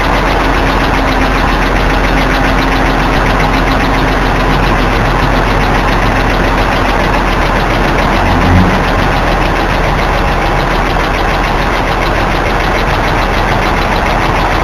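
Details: BMW E46 right after start-up: loud fast even ticking over steady idle, audible from inside the car, usually gone within seconds but sometimes lasting over a minute; happens intermittently, cause unknown.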